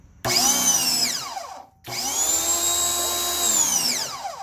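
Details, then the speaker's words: Ryobi 2000 PSI electric pressure washer: motor whine spins up on trigger squeeze, winds down on release, restarts; cycles with the handle, but the sprayer is full of crud and is the problem. "There you go. Okay. It's off when the handle is released. When you squeeze the handle."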